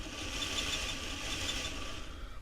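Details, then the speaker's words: Hornby Locomotion No. 1 model locomotive running: a faint high chirp repeating quickly in time with the wheels over the motor whir; the conrod is rubbing on the running plate; oiling the cylinders did not cure it. "where the squeak is coming from so let me just bring that to a halt"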